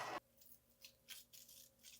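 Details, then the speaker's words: 2021 Fox Float 34 Factory FIT4 fork damper, over 300 hours in one year, stroked by hand before service: harsh dry rasping bursts about twice a second; air in nearly dry damper, needs bleeding and new seal head. "now that sounds unbelievably horrible this thing's absolutely destroyed it definitely needs to be bled it definitely needs a new seal head just listen to that you never want your damper to sound like this"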